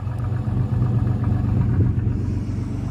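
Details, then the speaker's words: Salvage Cadillac Cimarron 2.8 with about 129,000 miles, after cold start with some smoke, oil not milky and coolant clean: deep lumpy rumble pulsing about four times a second, never settling; running rougher than expected. "definitely rougher than i uh expected it to be but this is the gamble you take when you buy cars sight unseen"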